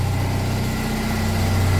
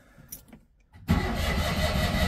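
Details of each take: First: Citroen 2CV flat-twin with 135,000 miles, cold start after about eight months unused: low, even, steady idle putter with no knocks or misses, running adequately. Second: 1982 Citroen 2CV flat twin, cold start after sitting about 8 months, choke initially forgotten: quiet clicks then about a second and a half of steady cranking churn with no firing; turns over strongly but won't start.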